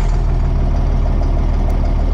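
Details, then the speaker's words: International DT466E diesel dump truck after replacing the No. 2 injector whose tip broke off, with a suspect hand fuel primer: deep, even idle rumble with steady low pulses, no miss or knock; turbo smoking off old oil. "it sounds like it's running smooth though"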